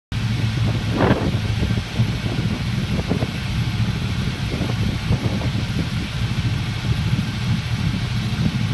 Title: Clueless 400ss induced misfire test